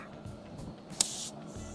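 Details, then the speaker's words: 2021 Ford Ranger 2.0L EcoBlue diesel, 109,000 miles, after wet timing belt shredded: compressed air fed through injector hole hisses out the inlet in sharp bursts, engine off; air leaking past bent valves. "So you can hear that through the inlet. You got some bent valves, people. You can hear it coming out of the inlet."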